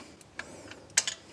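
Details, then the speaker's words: 1963 Ford Lotus Cortina Mk1 Crayford convertible, long stored: a few sharp, crisp snaps at irregular intervals in a quiet garage as the ignition throws a healthy spark; the points looked good. "got a spark have you i can hear it yep"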